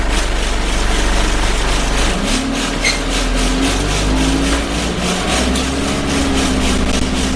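Steady diesel drone with a buzzy rattle pulsing about three times a second through the cabin; something inside is vibrating loose.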